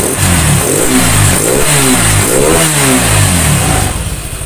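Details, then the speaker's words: Suzuki Nex II scooter after replacing the left camshaft bearing that caused rough CVT-like noise: engine revs up and down cleanly several times, no grinding or knock; normal engine revving. "ya seperti ini suaranya halus suaranya itu halus tidak ada suara kasar entah itu di bagian CVT atau di bagian mesin Tengah ini"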